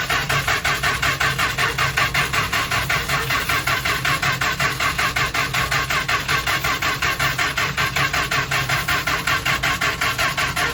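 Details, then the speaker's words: 1977 Winnebago Chieftain with a 440 Mopar, sat 20 years on bad fuel, starting spray used: the Chrysler starter turns the engine freely at about 80 beats a minute but it never fires; no spark suspected, distributor to be checked. "yeah I don't think you got any spark okay it sound like it's going faster for a second get there so I was hopeful but uh yeah don't think we have a spark"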